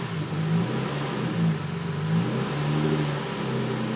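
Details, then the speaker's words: Toyota MR2 with V6 swap on Haltech R5 ECU, just after throttle pedal signal fixed (previously held ~1700 rpm rotational idle): clean idle with light throttle blips rising and falling without stumble; normal idle and revving. "Sounds a little different with a working throttle."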